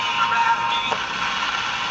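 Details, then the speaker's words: Franklin C101 radio on AM after a broken resistor and capacitor were replaced (an earlier speaker hum, heard on FM, seems gone): an even hiss of static with no low drone underneath. Normal AM static, no hum. "am as a normal static but no no hum"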